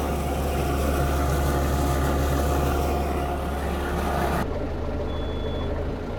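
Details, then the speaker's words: Perkins 4.108M four-cylinder 50 hp marine diesel after six years unused: steady even low thrum, no knocks or misses; oil pressure and temperature good, some blue smoke mentioned; running healthy. "sounds good oh that sounds great started right up too I haven't ran it in five years or six years I think it's been six years"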